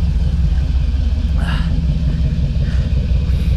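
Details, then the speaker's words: 1978 Ford Bronco V8 running well before power steering pump replacement: deep, steady rumble with an even beat and no misses, knocks or ticks; engine healthy. "this thing is running really good, as you can hear on camera here."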